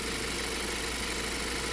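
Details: 2020 Ford Transit Connect idling after fix of false overheating codes P1299/P017D, temp gauge pinned hot and rough idle; quiet steady even hum, no rattles, misses or surges, codes clear; normal idle.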